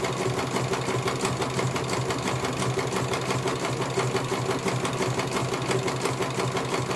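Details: CNY computerized embroidery machine being serviced, whose dynamo motor earlier would not turn at all: even stitching rhythm of about three strokes a second, light motor hum, no grinding; running cleanly, one colour finished, judged very good.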